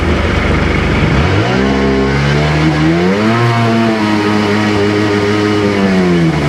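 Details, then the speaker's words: Sea-Doo GTX DI 951 two-stroke after rebuild, test accelerating: revs climb then pitch wavers and surges as the jet pump loses grip, getting worse; cavitation because the ring was left off the rubber pump gasket, which fell apart. "Um, we had cavitation uh when I accelerate and I realized I didn't put the ring on when I went to put this rubber gasket on."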